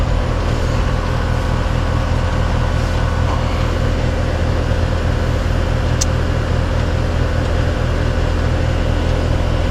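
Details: Three-year-old heat pump or AC condenser, after a bad capacitor was replaced on a no-heat, no-cool call: steady even hum with constant fan rush, no knocks or squeals; 129 suction, 234 head, 15° superheat, running normally.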